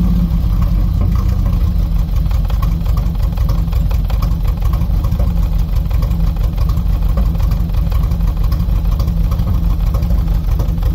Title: Engine misfiring.. 2.0CIH